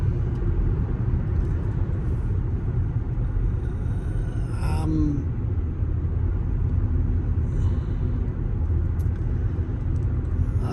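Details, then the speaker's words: After swap from roaring Cooper Endurance Plus to four used Michelin Premier tires, highway speed: steady low road rumble with some wind, no droning hum or roar; tires now quiet, big improvement. "I don't know how well it's gonna capture on video, but I hear wind noise and road noise, but not tire roaring like before."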